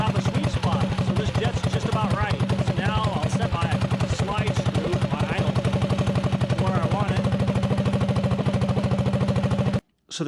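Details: Predator 224-powered GTS mini bike, 26 mm PWK carb with 38 pilot jet, mixture screw set about 1.5 turns out (the sweet spot): steady, even single-cylinder putter at idle with no misses or hunting; clean, smooth idle.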